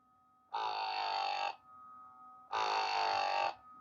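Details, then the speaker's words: Pixapresso portable espresso maker modded to non-pressurized, 16 g dose: the pump buzzes in strained one-second bursts with pauses, choking and unable to push water. The pump stalls because the grind is too fine for the machine. "and as you can hear the pump is choking means that it can't push the coffee. It stops. It keeps stopping because that's a finer grind for what the machine can handle."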